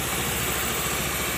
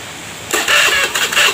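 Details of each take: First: Honda Beat FI injection scooter that was hard or impossible to start despite full service and reset, after injector replacement: short, even idle with a soft, steady low hum under hiss, no stumbling or surging; now idles normally. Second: Honda Beat FI, hard to start despite full service and reset: starter whirs in quick pulses about two a second, engine catches briefly then dies.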